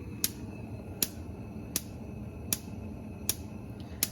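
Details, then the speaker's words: DCS gas range: after the burner lights, sharp evenly spaced igniter snaps about every 0.75 s continue on all burners; resolved by deep-cleaning every burner. "what I'm having an issue with is when I turn it on, it does light, but all of the igniters continue to spark."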